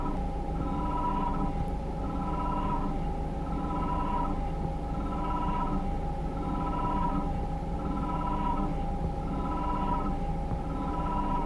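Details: Peugeot 3008 1.6 PureTech 180hp: abnormal whistling, wavering periodic noise over a steady engine hum after start, interval shortening spontaneously around 19 s, harsher with slight rev increase at 33 s; cause unknown.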